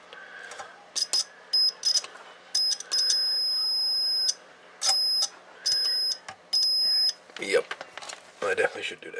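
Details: Homebuilt T-match antenna tuner, multimeter continuity test of the case cover grounded through two screws: a string of steady high-pitched beeps, each up to about a second as the probe touches; continuity solid, case grounded.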